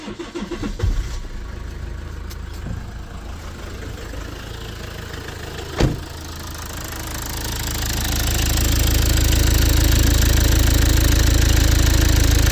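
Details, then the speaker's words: Lexus IS220d diesel in limp mode, no power, 31 mph top speed: cranks and catches, then a heavy, slightly lumpy idle with a dull knock. The EGR valve was found completely stuck open; the scan showed the DPF not blocked. "So, EGR's off. It doesn't look great. Getting a lot worse, but yeah, there you go. I don't know if you can see it. You can see that EGR valve is completely stuck open."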